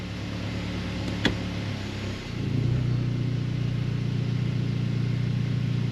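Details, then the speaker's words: Mazda 3 at idle in drive: low droning buzz, steady and constant, vibrating into the cabin; prying on the top engine mount with the engine running removes almost all vibration, so the worn upper engine mount is at fault. "As soon as I pry on that a little bit with the engine running, it takes almost all of the vibration away. So I definitely know this top one is bad."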